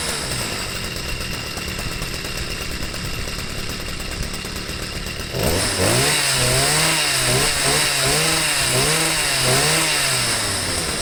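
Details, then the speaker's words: Stihl sweeper with an MM55 engine fitted with a Hipa C1Q-S97 replacement carburetor starts on the first pull and settles into a buzzing two-stroke run, revving cleanly up and down; it runs well. "it worked out fine it runs real good starts right up first pull"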